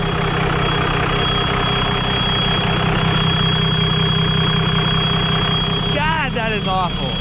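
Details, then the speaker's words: Diesel pickup just started after coolant leak work, turbo not primed with oil, throttle held while warming up: loud steady high-pitched turbo whistle over the idle, ear-shattering in person. "but it's like in person it is ear shattering loud"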